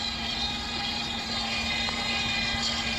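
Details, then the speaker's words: Dolphin S300i robotic pool cleaner after repair, with a wheel that sat too far out pushed back in so the track teeth no longer catch the cogs: steady even motor hum with a smooth whir, no skipping; gears fine, track drive normal. "awesome so the gears are okay [Music] tracks seem to be okay and everything's okay except you know obviously you got some missing bristles here but that's it all done all fixed you"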